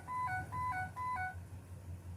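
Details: 2007 Ford E350 passenger van with AdvanceTrac RSC fault, where dash lights and chimes come on intermittently: three quick two-note chimes, a high tone dropping to a lower one about every half second, the AdvanceTrac warning.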